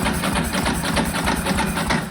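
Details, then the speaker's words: Ducati cranked after a decade: steady, rapid starter chugging with no firing, because the vacuum-driven pneumatic fuel pump is only starting to fill the empty carburetor float bowls. "okay let's crank again yeah okay the float bowls are just starting to fill up now"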